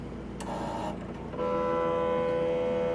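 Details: K&S 4526 wire bonder on power-up: after a click, a steady motor whir with a tonal hum runs evenly as the Y-stage motor drives to find its limits while initializing; normal homing.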